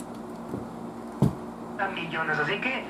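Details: 1940s Crosley five-tube table radio during restoration, after first power-up gave no sound and the oscillator was checked as working: faint hiss and low hum, then a station's voice comes through clearly; receiving and playing properly.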